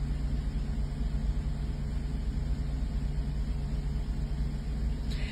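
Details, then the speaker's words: 1984 Mercedes 380SL V8 after replacing the 40-year-old ECU (and oxygen sensor) for rough idle and black smoke: low steady even idle, no stumbles or misses; engine possibly clearing leftover gunk, now runs as it should. "but right now this is this is how she's supposed to sound this is how she's supposed to run"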